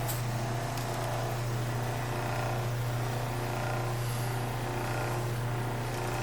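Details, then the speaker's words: 1936 Maytag Model 30 washing machine motor after about 20 minutes running unloaded with the belt off: steady, even low hum with no knocks or scraping; the motor is warm on top but not hot. "well we've been running now good 20 minutes and while the motor is warm on the top I wouldn't call it hot and this is running unimpeded with without our belt on"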